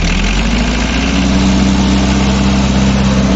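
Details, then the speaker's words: 1971 England-made Mahindra International 276 diesel tractor: steady, even idle with a low, smooth beat and no knocking, rattling or pump noise, so the engine sounds healthy. "हूं तो भाइयों बिल्कुल ही जो engine है इसका distortion free engine है कोई खटर-पटर की कोई ऐसी आवाज नहीं है बिल्कुल ही साइलेंट जिसे कहते सिर्फ आवाज आ रही है ट्रैक्टर के इंजन की आवाज है"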